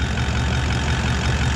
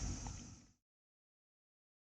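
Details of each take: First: Toyota 79 Series Landcruiser 1VD V8 diesel idling after repair, with a new water pump (the old one's bearing failed) and a new thermostat: a quieter, smooth, even rumble with no whine or bearing growl; normal idle. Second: Toyota 79 Series Landcruiser 1VD diesel V8, towing a caravan in 40°C+ heat, noticed ~400 km before Alice Springs: steady idle with a low harmonic droning rumble, sounds like a bearing; confirmed worn water pump bearing, pulley had slight movement.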